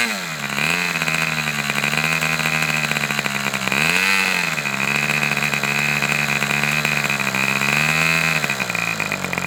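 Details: Fox twin-cylinder glow model engine: high buzzing idle near 3600 rpm sags and recovers twice as one cylinder cuts out, popping back with throttle; low-speed needle judged to need two more notches.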